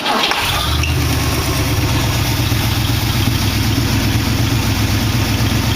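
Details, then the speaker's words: Engine with a dual four-barrel carburettor setup, carburettor still needing cleaning: the engine catches and settles into a lumpy, uneven idle with a regular stumble, one cylinder dropping out. Misfire on one cylinder. "You'll hear it missing on one cylinder."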